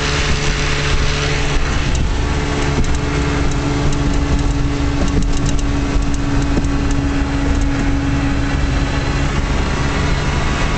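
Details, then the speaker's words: 1956 Johnson Javelin RJE-18 30HP outboard on 14ft Viking runabout at wide open throttle, about 4500 rpm by tachometer: steady high buzz, constant tone, no misses or rattles; running healthy. "See my tachometer here about 1,500 multiplied by three about 4500 which is wide open throttle."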